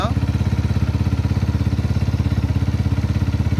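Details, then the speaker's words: Five-year-old SYM VF3i idle after restretching the original cam chain tensioner spring as a temporary fix: even quick thump with no chain rattle or ticking, engine smooth and healthy. "Dengar perbezaan bunyi yang tadi dengan bunyi lah ni."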